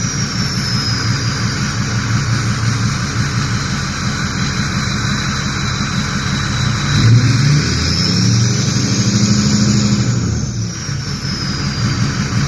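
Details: Ford 6.0 diesel after the turbo, oil cooler and EGR delete were fitted, revved: a steady rumble with a clean, high turbo whistle rising and falling smoothly on each rev. The turbo is spooling normally.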